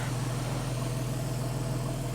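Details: Porsche 911 (997S) idling after replacing the serpentine belt, the bad tensioner and the bad tensioner lever, with the airbox and mass airflow sensor still disconnected. Smooth, even low hum, steady rhythm, no knocks, ticks or squeals; engine purring: normal idle.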